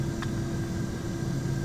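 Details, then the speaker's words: 2003 Dodge Dakota 3.9 with earlier misfire and bucking, after new fuel pump, wires, plugs, intake electrical parts and vacuum lines: steady, even, smooth idle with a low hum, no stumble or shake; previous idle vibration appears gone. "thank you Lord seems to be running really smooth I mean really smooth"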